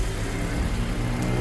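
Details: 2017 Honda HR-V 1.8 at 120,000 service, cold idle right after new belt and tensioner fitted: even, low hum with no squeal or chatter from the front; belt and tensioner running quiet, normal idle.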